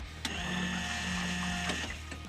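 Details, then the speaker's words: Datsun 240Z being readied for drifting: the fuel pump primes with a click and a steady buzz of about a second and a half, then stops; no leaks, fuel pressure present, possibly too much; normal priming. "well i can't see anything leaking and it's definitely got fuel pressure if not still too much"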